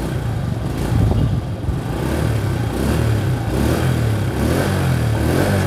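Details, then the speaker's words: Restored old Honda Astrea motorcycle after fitting an original starter dynamo in place of an imitation one: starts readily, low smooth exhaust burble rising and falling cleanly with throttle, no rattles or leaks; normal exhaust note. "Hai suaranya halus sekali KMI dia Jadi kalau kita nyalain staternya hai cespleng Hai suara knalpot halus kali"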